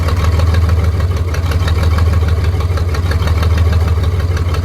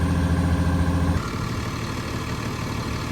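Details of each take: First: Cat D6K dozer cranking with a steady heavy drone that never catches and winds down; no-start traced to one fuel injector stuck open, fixed by injector replacement. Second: Cat D6K dozer diesel after replacing an injector that hung open and caused no-start: deep, steady rumble with an even beat, no stumble or miss; idling normally.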